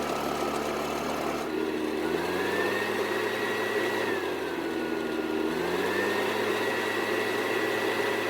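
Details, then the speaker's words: Husqvarna backpack blower after storage, repaired with throttle cable retainer and air filter replaced: two-stroke buzz rises and falls smoothly with throttle, no stumbling; runs normally, though it later started hard when about 15° cooler. "so as you just saw it didn't have any issues starting and running and everything went according to plan"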